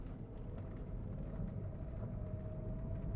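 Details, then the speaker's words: VW Vento test drive on rough road after repair of right-fender rattle and replacement of dusty idler/tensioner pulley: only steady tyre and stone rumble, no knocking or buzzing from the body; rattle and abnormal engine sound fixed. "So guys finally మన వింటో కి ఆ రెండు issues అయితే solve అయిపోయినాయి మీరు చూడొచ్చు road ఎంత వర్ష్ condition లో ఉంది బట్ అయినా గాని అసలు ఎటువంటి నాయిస్ అయితే ఏం లేదు మీరు"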